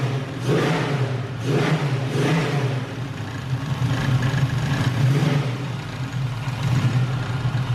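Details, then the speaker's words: LS-swapped Camaro on a quick base tune, first start after about six weeks of work, exhaust not fully welded and rattling: several clean throttle blips settling back to an even, steady idle; normal revving and idle. "all right whoo all right man we got a running car and it sounds good"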